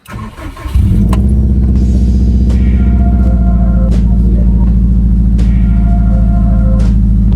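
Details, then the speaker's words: 2006 Subaru WRX after fuel-issue repair: engine cranks, catches within a second with brief initial roughness in cylinder 4 that clears at once, then strong even idle with no misfire; fuel pump audible in background; normal start and idle. "So instantly, we had that first initial roughness in cylinder 4, but it went right away."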